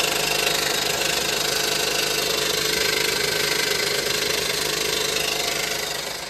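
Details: 2015 Honda Pilot 3.5 L i-VTEC: fast fairly even knock about three a second over idle; suspected bad harmonic balancer, front cover and timing work follows; engine knocking at idle.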